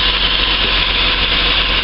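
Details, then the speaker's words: Engine just started cold: steady running with heavy hiss on top and no dips or hunting, with idle higher than normal before it drops as it warms; owner noticed the rpm dipping too low after a throttle blip, and a throttle body clean is planned. "i've just started it up so it's it's running at a high idle but it'll dive in a sec"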